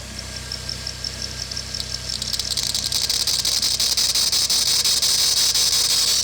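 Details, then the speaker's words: Acura TSX race car squealing on cold start: a high, rapid belt-drive chirping squeal that fades under brake-cleaner spray, then returns. Spraying the tensioner pulley makes it louder, the alternator pulley quiets it; worn tensioner pulley. "Alright, so if I spray a little bit of brake cleaner onto the tensioner pulley, kind of really doesn't do anything, and actually kind of gets louder. If I spray it on the alternator pulley, complete quiet."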